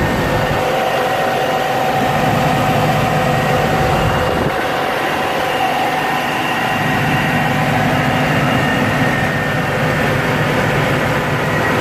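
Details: 2001 Jeep Cherokee Sport XJ, 4.0 inline-six, 234,000 miles, just after idle air control valve replacement: steady, even idle sitting fast near 1000 rpm, no misses; owner now suspects a vacuum leak causing the high idle.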